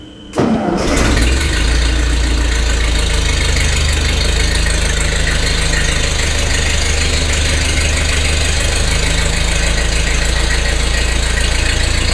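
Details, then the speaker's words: 1948 Ford 8N tractor's first start after a complete engine rebuild, in neutral with choke and a little throttle. Cranks, catches within a second and settles into a steady, even low idle with no knocks; excellent oil pressure, gauge pegged: normal idle. "excellent oil pressure heck it's got the G gauge Peg that idle that ain't bad so far so good proof that it runs"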